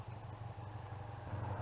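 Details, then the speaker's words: 1986 Honda Interceptor 500, warm after riding, thermostat removed, cooling fans on: fast even idle with fan whirring; idles about 1,000 rpm from cold start but 3500-4000 rpm once warmed and stopped; cause unknown. "Still feel like it's wanting to idle fast. Once you get running down the road and run it for a little bit, it's wanting to idle."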